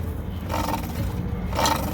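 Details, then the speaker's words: Rooftop kitchen hood exhaust fan with belt-drive motor: low rough roar with recurring squealing bursts, motor judged bad and replaced. "sounds terrible when you turn it on it's squealing and making all kinds of noise"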